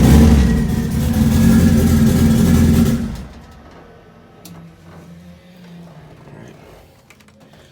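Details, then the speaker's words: Modified 700 hp Honda Integra on a hard rev: uneven, choppy sound before dropping to idle; misfiring with one cylinder not firing, while the air-fuel gauge reads three dashes (sensor suspected failing). "it still sounded like it was misfiring a little bit and from the looks of the ARR gauge I know my sensor is starting to go out but it was reading three dashes and of course that's that at all so that would definitely still make sense why it sounds like it's misfirin"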